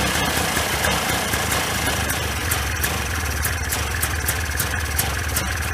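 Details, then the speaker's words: 1995 Polaris Scrambler 400 2-stroke 4x4 ATV before repair, gas sprayed at PTO-side crank seal: loud rattly, uneven surging idle with hanging throttle; crank seal sucking in air and gas, lean idle condition. "You know it's sucking in a bunch of air when you spray the gas. It's sucking in gas, actually flooding it out."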